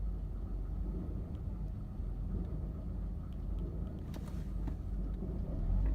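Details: 1985 Mercedes-Benz 190E petrol engine idling with a low, uneven rumble that wavers instead of running smoothly; rough idle being troubleshot.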